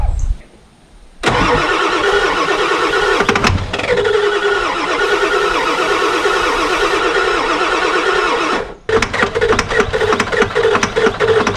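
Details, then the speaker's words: Ford F350 7.3 Powerstroke diesel, year unknown, sat 15 years: starter cranks steadily several seconds with gas pedal mashed after starting fluid, stops and cranks again, never firing; crank no start. "Try it again. Ain't working or anything. It ain't firing. Yeah. It doesn't even know that it's running right now."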